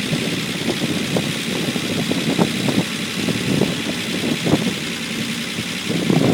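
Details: Unimog 404 first start-up after rebuild with new fuse boards and a rewire: uneven but settled petrol idle with soft, loping pulses and no knocks or grinding; normal idle.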